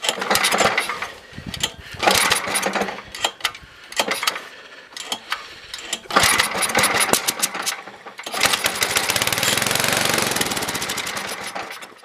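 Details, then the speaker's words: Toro 724 two-stage snowblower, 7 hp engine, sat about 2 years, new fuel line, primed through the carb, choke off: sputters, cuts out and catches, then runs ragged on its own fuel (float working); rough running, needs carb tuning. "It's going to definitely need some tuning work done to it, but we'll do that all in this episode. So it's running off its own fuel, so the float's working."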